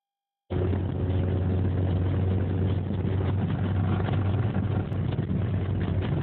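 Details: Isuzu 1.8 engine running steadily with a dull, uneven knock about four times a second under the hum; rod knock from a worn rod bearing.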